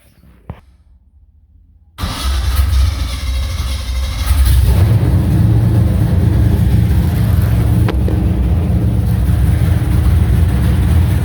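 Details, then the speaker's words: 1970 Chevy C10 350 (original short block, stock cam, Vortec heads, dual-plane intake, Holley 650, HEI) on open headers, started to check new gauges and burp cooling: fires after a pause, holds loud steady even burble, no ticks or misfires; normal start and idle. "it sounds amazing still has a stock cam in it but for what it is sounds pretty good"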